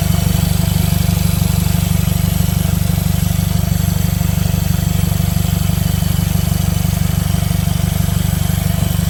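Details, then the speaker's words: 2015 Mercedes CLA 250 4Matic at idle with no exhaust fitted: a loud, blatty idle with sharp, even exhaust pulses. A vacuum leak is also suspected. "the car stays on the reason it sounds like this because it doesn't have the dump the exhaust it doesn't have the exhaust"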